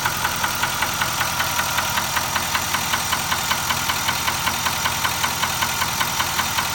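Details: Nissan Titan XD at 13k miles: quick, regular metallic knock tapping steadily over a smooth idle; engine knock at idle, cause still unknown.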